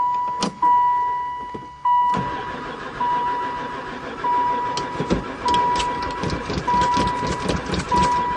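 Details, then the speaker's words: Van sitting unused about 4 years, poor runner before, fresh gas added: starter spins the engine in bursts with no firing at all; cranks but will not start, owner suspects no spark. "I wonder if it's got any spark. Don't seem like it. Never fired once."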